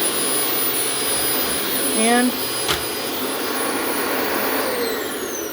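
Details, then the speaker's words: Refurbished Dyson vacuum test run on carpet: smooth even high-pitched motor roar with steady airflow rush, no rattles or surging; normal operation. "Listen to how nice that sounded and did for us on the carpet here. That shows you Dyson isn't playing around."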